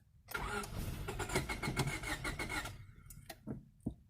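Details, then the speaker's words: 1998 Honda Civic EX, D16Y8 five-speed, long parked, spark confirmed, fed starting fluid: catches and runs unevenly about two seconds then dies; starts then stalls, owner suspects failing fuel pump. "so close yeah I'm thinking maybe that fuel pump might just be shot"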